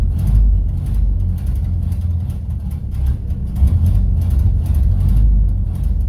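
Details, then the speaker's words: 1931 Ford Model A Coupe, first start after 4-5 years in storage, choke in use, faulty ignition switch, old oil: uneven, lumpy low chuffing with irregular pulses and surging; runs rough, carburettor or fuel suspected, not confirmed. "Well, that's better. Got some work ahead of me here to straighten this out. If it's a carburetor or fuel, let's see what we can do."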